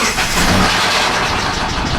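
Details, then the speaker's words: 2009 Subaru Forester, cold start on a below-zero January day: rough rumbling idle with quick steady knock underneath, noise reduced when dropped into gear; engine bearing knock, owner fears thrown rod. "oh hear that i drop it down in gear it it takes away some of the noise but you can hear it knocking"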